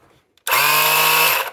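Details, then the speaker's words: Oil extraction pump tested during oil change on a 2009 Daihatsu Sirion 1.0: about one second of steady high-pitched drill whine, impeller spins freely but runs dry and unprimed; needs oil to catch. "этот крутится но сухой сухой по хорошему сюда конечно залить немножко масла чтобы хапанула его"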